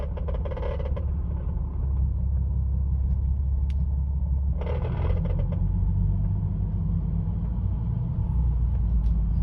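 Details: 2005 Ford Mustang Convertible RWD cruising or lifting off the gas at about 1000 rpm: short buzzy rattle bursts from under the dashboard, mostly the passenger side. The owner suspects a loose bolt, and there is no transmission kick felt.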